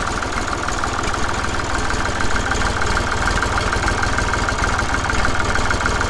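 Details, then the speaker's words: Massey Ferguson 35X tractor at 800 rpm after fitting the new QTP silencer: even, steady low chuffing with no knocks or rattles, sounding the same as the original exhaust; normal idle. "And then finally, the biggest thing is the new silencer. I don't think it sounds any different, which is good."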